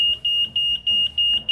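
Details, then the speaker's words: Yamaha Nmax with plug-and-play WiFi remote alarm module in safe mode: switching on the ignition trips high shrill beeps pulsing evenly about three times a second; anti-theft alarm triggered as intended. "kita kontak ya kita kontak ini kan mode aman seharusnya dikontak ini alarmnya bunyi ini juga akan bunyi Nah ya kan ini menandakan bahwa ini masuk ke mode"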